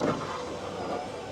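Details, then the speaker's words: Subaru Forester XT with window motor from a parts car, loosely reassembled; smooth even whir for about 1.5 s, no grinding or binding as window lowers — motor normal, though window then travels up too high. "Window goes down and window goes up, but it goes up way too high."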